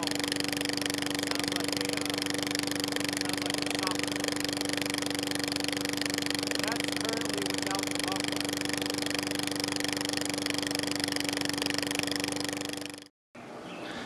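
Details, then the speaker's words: Push mower engine with new spark plug, running with the rotted-out muffler removed; steady, harsh, very loud drone with sharp buzz and crackly exhaust bark. "As you can tell over here, the muffler that was on it was just completely rotted out. So we were getting a lot of noise every time we ran this."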